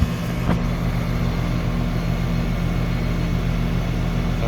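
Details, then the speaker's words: Condenser of a 2-stage central AC at a rental property, fixed after miswiring, running in stage 2 (high stage) at about 18 amps, about 3 amps (20%) above stage 1; steady even low hum of compressor and fan, no knocks, rattles or squeals; normal. "Okay. Now we're drawing about 18 amps. So we are getting a difference, about a 3 amp difference. It's about 20%. So appears to be working."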